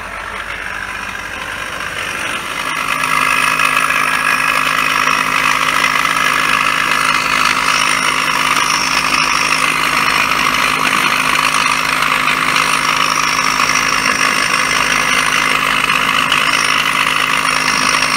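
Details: 2007 Toyota Crown Majesta UZS186 (3UZ-FE, 192,431 km) air suspension compressor: harsh buzzing whine with a fast rattly undertone; new mount bushings didn't help, and disassembly found play in the motor bearing.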